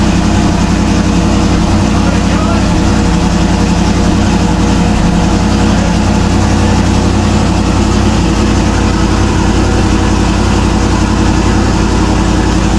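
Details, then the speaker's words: Turbo LS Camaro first fire after an injector issue: V8 catches right away and settles into a steady, even lope with a firm regular pulse; healthy idle, sounds really good. "Since it started with no well and just she sounds good right off. Sounds really good."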